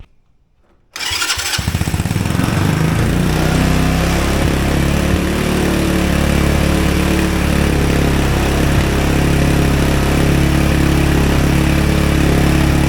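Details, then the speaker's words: Mini Jeep with a Chinese quad engine and replacement Chinese carburetor, fuel line rerouted, idle screw backed fully out: fires quickly then holds a fast, steady run that never drops to proper idle; idle stuck high, no adjustment possible. "the issue is I can't get any adjustment from the idle with this it just wants to run"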